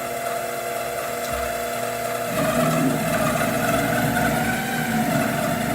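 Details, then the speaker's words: 7x14 two-speed mini lathe during a cut: motor pitch surges and sags while the gearbox chatters roughly; gear chatter and unstable motor speed, before motor upgrade and gear replacement. "So the chatter you hear is the gears, and the speed going up and down is the piece of junk"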